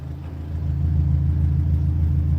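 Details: 2016 Subaru WRX STI after replacing a failed AEM 320 L/hr fuel pump, primed three times: steady, even low rumble with no stumble, knock or whine; smooth healthy run, fixed.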